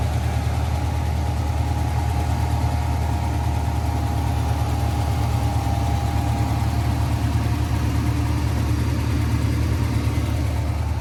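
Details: 1992 GMC Sierra 3500HD dually restoration truck idling after a new fuel pump, fresh gas and a disabled alarm system; deep, steady, even low rumble for ten seconds, no stumbles or knocks: normal idle.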